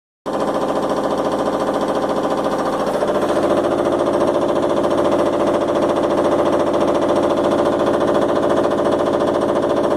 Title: Washing machine noise